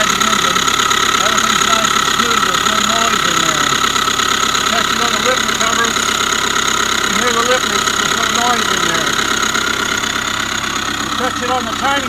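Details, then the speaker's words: 2005 Subaru Forester 2.5 boxer SOHC, long dog-whistle noise then knocking after a botched timing belt job: steady high whine with rough bearing growl at idle, located inside timing cover; timing belt tensioner or idler pulley suspected. "So, what they tell you, the timing belt tensioner or an idler pulley or something inside of there is making all this noise."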